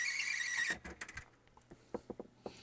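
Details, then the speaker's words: Yamaha KX 670 cassette deck after repair and reassembly, playing a cassette with a shrill warbling squeal, then light clicks; the felt pressure pad is missing from the cassette. "why am I squeaking it's playing just fine other than that horrid squeaking noise well now I think I found the problem if you look inside here the presser pad little felt presser pad is missing from the cassette that might do it"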